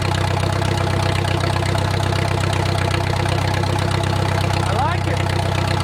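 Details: Wartime H tractor, last run around the 80s or 90s, at full operating temperature: an even idle chuff of about four beats a second over a steady low drone, no knocks or stumbles, great oil pressure; a normal idle.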